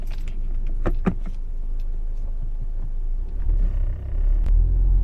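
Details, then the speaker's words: 2015 Audi A4, 83,000 km, rolling downhill: dry creaks and squeaks on both sides as the body moves, like rubber bushings rubbing, also over bumps and when braking; suspected control arm bushings. "再下一下，听见了吧？两边都响。就像胶套在那摩擦的。"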